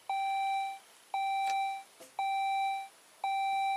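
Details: 2004 Saab 9-3 with 175,000 miles, immobilizer and steering lock malfunction being bypassed, showing "ECU not programmed" and "time for service": four identical mid-pitched beeps, each under a second and about once a second, a dashboard warning chime.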